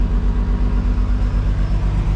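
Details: 1950 Chevy Deluxe just rewired from 6 to 12 volts with a one-wire alternator, freshly started on fast idle, gauge showing strong charge: quick, even low thrum with steady firing pulses, no misses or knocks; healthy fast idle.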